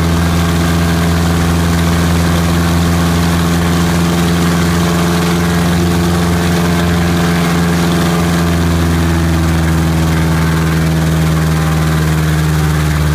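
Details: Piper Apache piston aero engine, run-up after rebuild: deep, steady drone with smooth even beat, no misses or rattles, holding power cleanly; normal run-up.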